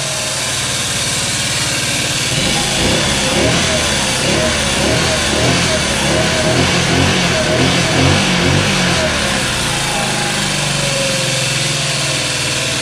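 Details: Scooter sitting for years, just started: small four-stroke revs up and down with fast uneven light ticking over exhaust; chattery valves, burning oil, smoky, owner suspects ruined valve seats rather than whole engine. Valve chatter.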